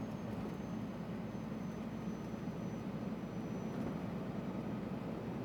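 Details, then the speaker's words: Scania R400 Streamline truck at about 1,200 rpm, recorded in the cab: a steady, high, thin turbo whistle rides over the low cab drone at light cruise, louder than it should be. "Olha o som da turbina, ó. Pra vocês terem uma ideia, tô a 1.200 giros"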